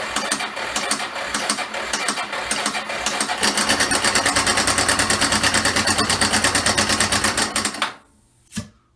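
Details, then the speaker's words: 1994 Yamaha Moto 4 350 ATV bought as "blown", started on brake cleaner and own fuel: fast, steady mechanical clatter about three ticks a second over thin single-cylinder beat at low rpm; owner suspects worn, slack timing chain. "So I'm leaning towards timing chain."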